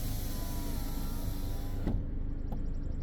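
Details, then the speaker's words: 2015 Ford Edge, power window relearn, button held the whole time: steady motor whir, then a single dull thud in the door as the motor stops, signalling the learned position is set. "Okay, I don't know if you heard that. I heard it. It's almost like a thud."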